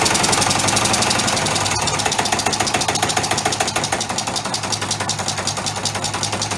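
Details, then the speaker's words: Homemade three-cylinder orbital compressed-air engine with only one cylinder connected: sharp, uneven air puffs about three or four a second with a clattery beat, running sloppily on one cylinder; it won't self-start unless in the right position. "anyway it's a little bit sloppy because it's only got one cylinder on but it does run even with one cylinder so I'll show you that but it won't start by itself unless it's in the right position"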